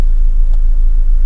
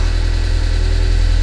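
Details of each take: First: 2006 Audi A4 Cabriolet S-Line gas engine, previously running rough and diesel-like with low oil pressure, now after repair: low, steady idle rumble with no ticking or knocking; runs smoothly and quietly, though check engine light later returns. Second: 2006 Audi A4 Cabriolet S-Line gas engine before repair, with low oil pressure: heavy, uneven clattery diesel-like rumble at idle; running rough, cause not confirmed.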